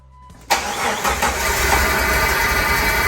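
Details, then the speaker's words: 1999 Jeep Wrangler TJ Sport, automatic, 144,000 miles, after new 117 amp alternator, pulley and serpentine belt: starts within half a second and settles to an even, steady idle with no loud clatter or dieseling sound; noise fixed. "ah john a lee dog that sounds much nicer and i can hear other bumps and tweaks that sounds so much better no loud dieseling sound man that's money well spent"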